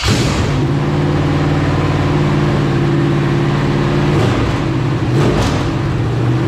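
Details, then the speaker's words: LQ4 6.0 V8 (circa 1999–2000, iron heads) from truck shot through front, test-run with exhaust slipped on: loud V8 revs rise and fall cleanly with throttle, no knocking or clatter; normal rev. "I went a little too far on the throttle there you got it home but oh man that thing sounded great it's just very quiet up here"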